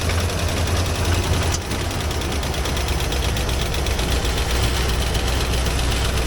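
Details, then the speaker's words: 2007 Jeep Wrangler JK Unlimited Rubicon, started after sitting about a year: loud, deep idle with uneven, non-rhythmic knocking, loudest at the front on one side. Irregular engine knock; owner unsure whether it is rod knock. "Yeah, something sounds really bad down here. I don't know if that's rod knock or what it is. It's not very rhythmic, but"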